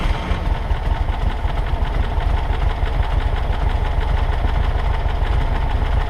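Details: 1963 Volkswagen Karmann Ghia air-cooled flat-four, first start in over 10 years after parts replaced: even, steady idle with a smooth low chug, no misses or knocks; normal idle.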